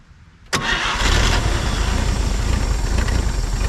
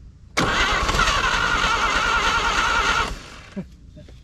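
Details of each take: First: 1950 Chevrolet Styleline parked 7-9 years, fed from a hanging bottle fuel tank into the carb: quiet, then a sharp catch and the engine fires up, settling into a deep, steady rumble; clean start. Carb base O-ring looks bad. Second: 1950 Chevrolet Styleline parked 7-9 years, first start attempt with fuel line off: engine catches at once, runs roughly under three seconds, then cuts out dead, firing on primer but won't keep running; starts briefly then stalls.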